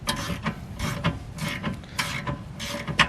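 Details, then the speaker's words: Drift BMW E36 after replacing rear lower trailing arm ball joints: rocking rear wheel gives sharp irregular clicks about twice a second during transition; suspected CV joint clicking. "oh yeah see this is that noise that you're hearing right now so do it oh yeah we can hear that as we're transitioning yeah you can see it on camera on this one"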